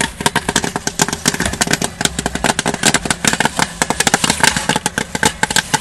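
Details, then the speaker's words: 8 oz kettle popcorn machine near end of batch: dense, irregular crackle of kernels bursting, thinning out as popping slows, meaning most kernels are cooked and it's time to dump to prevent burning; popping slowing near end of batch. "Okay, you're starting to hear the popping slowing down a little bit, which means that most of the seeds are cooked."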